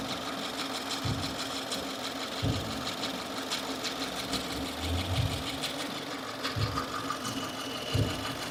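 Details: 2015 Subaru Forester, warm idle out of warmup mode: soft chattering bursts every one to two seconds, not locked to engine rotation; new since days before, owner suspected lifter or rocker roller issue; source unclear.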